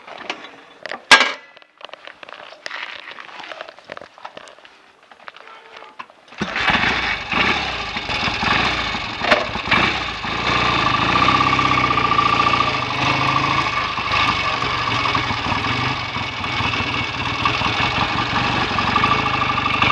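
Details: BSA A65 parallel twin after clutch spring preload was increased to stop clutch slip and carbs and plugs were drained and cleaned to cure a misfire, starting after handling clicks and settling into a steady even idle.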